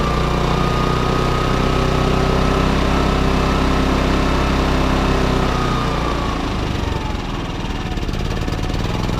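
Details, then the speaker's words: Baliy 3700W portable generator, unused for over a year, carburetor buildup, topped up with fresh stabilized gas: a low thrum that surges in eco mode and still runs rough with eco off. The owner suspects a weak original spark plug or bad gas. "so you guys can hear it it's surging on eco mode and even with eco off it's still running a little rough definitely running which is better than what it was doing"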